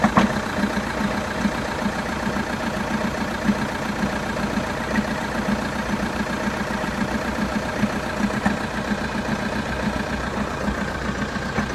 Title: Vauxhall Astra 2.0 CDTi 2012 cold start engine rattle / knocking noise ?